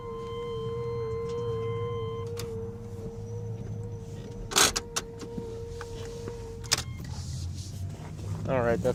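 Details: 1993 Chevy S10 2.8 TBI, not run for a month: steady mid-pitched electric whir with faint higher tones with everything switched off, then cuts out; recurring noise, short suspected, source untraced.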